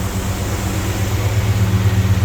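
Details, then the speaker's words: Chevy C10 Squarebody with an LS swap, after misfiring and spark plugs sooted from too much fuel. The V8 now idles deep and steady with an even low pulse. A slight sputter remains, so it is being left to run. "but it's idling better for sure see if we got any throttle oh yeah foreign [Music] still got a little sputter but these uh spark plugs were all you know suited up from too much fuel so I'm gonna let it run for a while"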